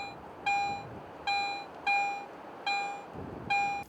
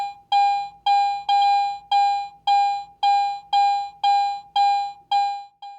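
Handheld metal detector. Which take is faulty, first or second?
second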